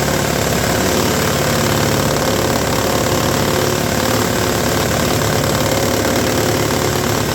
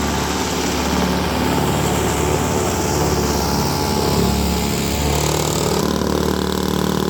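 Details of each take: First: Roadside-rescued, rehabbed Toro S-200 two-stroke snowblower, electric-started, first test: rough running with a loose, uneven slapping knock around four per second as the drum hits the scraper; a 2x4 wedged between them in storage was suggested to reshape it. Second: Roadside-found, rehabbed Toro S-200 two-stroke snowblower, first snow test after cold electric start: steady buzzing as it chews through snow, holding speed without bogging or misfiring; normal running under load.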